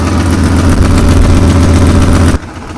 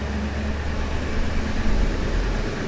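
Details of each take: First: 2002 Ford F-250 5.4L V8 idling, heard from the passenger side: a faint quick ticking over the rumble from an exhaust manifold leak, with no broken bolts visible. A possible lifter tick is also suspected. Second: 2002 Ford F-250 5.4L, exhaust manifold leak patched and cured for over 24 hours, heard from inside the cab: steady, even idle rumble with no exhaust tick or popping; a faint remaining tick might be a lifter.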